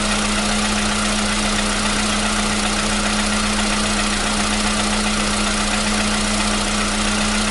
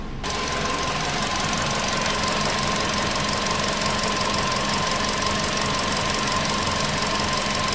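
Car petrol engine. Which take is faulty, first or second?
second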